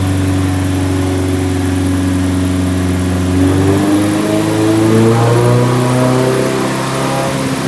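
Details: Nissan 180SX Type X, SR engine with TD06 20G turbo, Nistune ECU, 3-inch dump pipe with muffler deleted, dyno at 15 psi under full load: smooth drone climbing with revs with no misses or knocks; about 255 rwkw with injectors maxed out, engine healthy.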